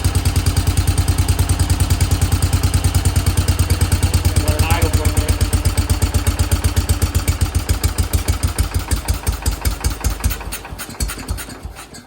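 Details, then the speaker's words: 1968 Case 155 garden tractor, just started after sitting well over 20 years with a little smoke: steady, even low thumping at idle with no misses or knocks; settles into a smooth, healthy idle. "okay it ran let's try it [Music] again little bit smoke been sitting for well over 20 years"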